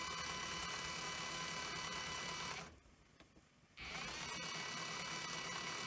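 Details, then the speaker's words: Sony EV-S700 Video8 deck (c.1988, well used): playback runs like fast forward, capstan at full speed; high busy whir races, briefly stops, restarts just as fast. Rewind works; owner suspects servo/capstan issue, unconfirmed. "I mean I expect that to be noisy but it's just like the cab says running full speed all the time I mean I probably have a Servo issue"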